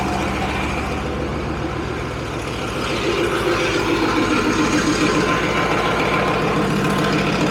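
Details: Leopard tank diesel, test run after fuel injector bank O-rings and five or six cracked hoses were replaced. Deep, steady idle with even, regular firing and no misses or knocks; no leaks found. Normal idle.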